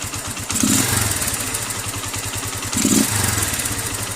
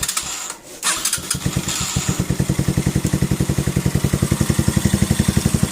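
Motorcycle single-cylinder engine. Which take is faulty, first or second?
second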